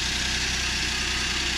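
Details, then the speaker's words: Suzuki Every Wagon DA64W, K6A 660cc, after replacing belt tensioner bearing (NGK 6909 DUM1) and tightening belt; steady even idle with smooth hiss, no rattle or rubbing; normal idle. "So ayan guys, tahimik na. wala na siya yung parang kumakalansing. Ayan, wala nang ingay. Tahimik na ulit yung ating makina."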